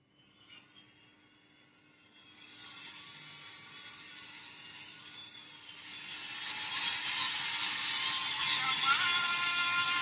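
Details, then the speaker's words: Philips FX30/55 sound system after repairing a no-power fault: plays a disc with clean, steady but thin, tinny treble-only music, since only the high-frequency output is connected; audio output working. "Como pueden oír, ya está funcionando, tiene salida de audio."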